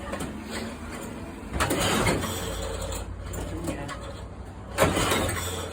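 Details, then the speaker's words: Cold start attempt on a red pedal-assist tandem moped trike: two starter pulls about three seconds apart, the engine spins but never catches. The owner suspects no fuel because it may have been stored empty. No-start from lack of fuel. "I may not even have fuel in this. I may have done a good thing and put it away empty."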